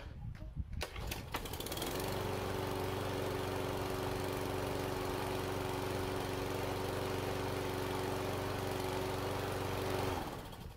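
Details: Push mower's first start after winter, with a little fresh gas and good oil; catches after a couple of pulls and holds a steady, even drone before shutting off; runs healthy.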